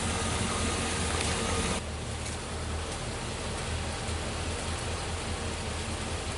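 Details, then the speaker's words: 1949 Dodge Business Coupe six, first start in 20 years, no radiator: steady low drone with occasional uneven beat, maybe skipping; owner suspects some stuck valves, not confirmed. "okay she might be all right she sounds like she's might be skipping a little bit but uh there's probably some valves stuck"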